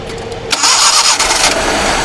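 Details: Normal start on a Suzuki Mehran Euro 2 (Pakistan) being checked for an engine misfire from a fuel injector and pulse current problem. It is quiet, then catches abruptly and settles into a steady, even run with no stumble.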